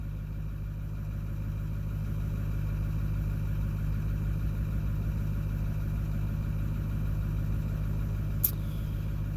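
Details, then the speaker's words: 2009 Ford F250 6.4 Powerstroke diesel after number 7 injector replacement, cold high idle at 760 rpm, coolant 59°F, about 40°F outside: steady even diesel clatter, no cylinder 7 misfires; running evenly, slightly rough. "and stuff, but at least the engine sounds like it's running evenly a little bit. Let's take a look here. It feels like it's evening out."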